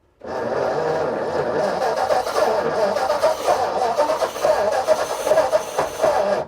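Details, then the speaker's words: Vintage Ford flathead (side-valve) V8 barn find, sitting for 30 years: about six seconds of rhythmic cranking with uneven puffs, nearly catching but never firing; fuel union weeping, old fibre washer suspected dried out. "that's close isn't it very close yeah that's close oh you blighter that it nearly caught then didn't it"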